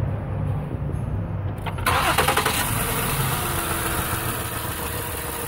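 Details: 2008 Ford Taurus X idling with an uneven, lumpy beat and a dip every cycle; code for injector pulse cylinder 1, no injection there, no signal reaching injector through control wire (pin 52); dead injector circuit misfire.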